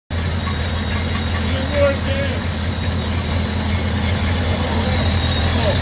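Low steady even idle with a smooth, unhurried beat and no knocks or misses; a healthy flathead running cleanly.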